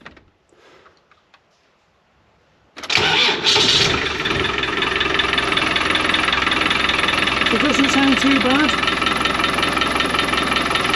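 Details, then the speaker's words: Land Rover Defender 110 diesel started in neutral with clutch pedal in; cranks, catches, settles to idle with light regular rattle three to four per second; clutch-area rattle said to worsen as it warms, suspected troublesome clutch to be replaced. "That pushes back and it gets worse. It gets worse as it gets warm."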